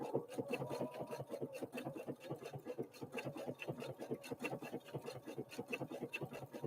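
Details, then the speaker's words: Husqvarna Viking Opal 650 sewing machine (Swedish design, Chinese made) sewing block-letter alphabet lettering; soft quick even needle ticking, not clanky, tinny or plasticky, no rattle: solid, healthy machine running normally. "and as you listen to this machine notice that it's not clanky it doesn't sound tinny it doesn't sound plasticky whatever plastic he sounds like it's just a quality solid machine it really is"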